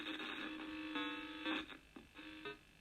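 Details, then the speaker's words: Vectrex console, before cleaning the volume potentiometer: game tones crackle and cut in and out with scratchy gaps as the volume knob turns, alongside a buzz; dirty volume potentiometer needing cleaning. "so here we go it's going to turn it on and there's the buzz so you got sound but you can hear as I turn it up and down and hit up crackling"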